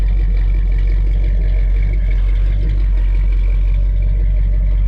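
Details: Warm 1987 Dodge Ramcharger 360 V8 with straight pipe and no emission controls, recent tune-up (cap, rotor, plugs), valve covers and oil done: deep, even rumble with a steady loping pulse and no knocks or misses; normal, healthy idle.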